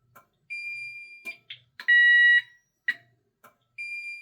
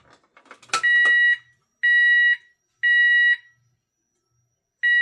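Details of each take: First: Safe House 49-485 alarm panel siren test with the delay button held: burglary and fire sounders alternate about every second, one steady and one shrill tone, with short keypad beeps between; normal test. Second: Fire LEDs lit. Sounder and strobe are going off.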